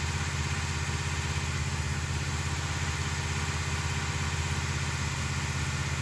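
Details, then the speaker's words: 1968 Dodge Charger with a big-block 440, after weeks of valvetrain fixes: a steady, even idle with a smooth low pulse and no top-end ticking. Normal idle. "After weeks of our endless efforts to conquer our valve train issues, by George, I think we've done it."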